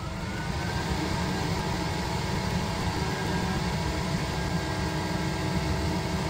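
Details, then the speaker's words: Autoterm Air 4D diesel heater with Comfort Controller: smooth, constant fan roar and steady combustion rumble with no surging, popping or rattles after ignition, running cleanly at full power drawing about 50 W. "there we go. Running out full power mode, it's currently pulling 50 watt."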